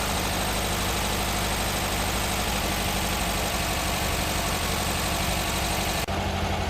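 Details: Air-cooled VW trike flat-four, a brand-new crate motor fitted after the old engine threw a rod, first fire-up after the swap: steady, even idle with a chuffing beat near four per second, no knock or rattle; healthy engine.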